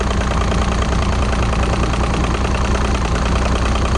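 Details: 2006 Evinrude 90 E-TEC Saltwater outboard that had been starting then dying from a faulty, backwards-wired aftermarket fuel pump: steady, even low idle with a soft regular beat, no misses.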